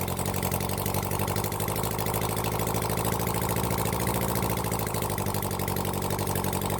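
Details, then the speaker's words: Rebuilt Honda CB400 Four engine on a bench run, after a flooding issue cleared, before carb balancing: steady, evenly spaced exhaust beat at idle with no stumbles or mechanical clatter; idling healthily. "all right it sounds good when I get my car balances set that up then we'll try balance the cars"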